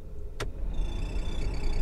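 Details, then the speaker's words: 2007 VW T5 Transporter heater blower after fitting a new resistor, all speeds 1-4 now working: after a click the fan spins up with a thin steady squeak rising at each speed, likely dry blower motor bearing. "number two the more of a squeak number three even squeakier number four now why is it squeaky well it's working but it's squeaking"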